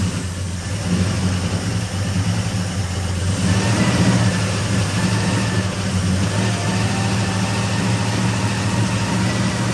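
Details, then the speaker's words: 1964 Ford Fairlane V8 barn find, 30,000 original miles, sat about 13 years, new battery, before points adjustment: uneven idle with stumbling, irregular beat and rough lopes; misfire from contact-breaker points gapped too wide. "points were too wide. That's what was causing it. Sounds like it's hitting now."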